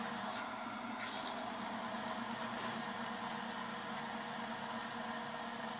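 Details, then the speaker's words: Timken bearing friction test rig, fresh test bearing lubricated with SynMax racing power steering fluid under applied load: steady even whirring hum, no knocking or grinding, getting quieter as additives work in; normal bearing running noise. "Ah, you hear it getting quieter, don't you?"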